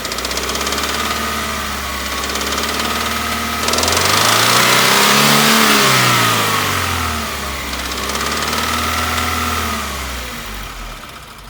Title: 2016 Subaru engine knock/rattle